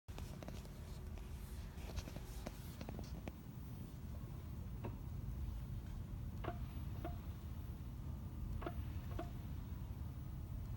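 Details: Tesla Model 3 Performance: sharp, irregular clunks from the front drive unit pop through the steady low road rumble while driving; Tesla ended up replacing the front drive unit.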